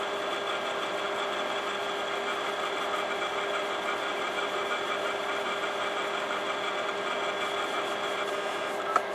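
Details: Imation LS-120 SuperDisk drive, writing a SuperDisk: even mechanical whir with faint high buzz; head moves abnormally, owner suspects track-alignment issue; written data comes back corrupted.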